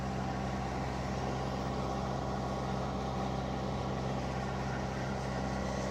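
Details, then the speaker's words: Boat diesel engine at 2,000 RPM, good oil pressure, warming toward its usual 160°F: steady, even drone with a smooth firing beat, no knocks or misses and no smoke, despite earlier white-smoke worry. Normal running under load. "So all of this looks good. The engine's running great. Sounds good. I don't see any smoke."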